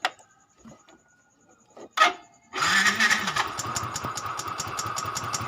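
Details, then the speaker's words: Yamaha Fino 125cc fuel-injected scooter after repair: brief cranking chuff with a decompression sound, then a steady, even putter. Starts cleanly; sound now differs from before, rough noise gone. "Itu ada suara dekompresi begitu lur. Nah, hilang. Suaranya beda ya."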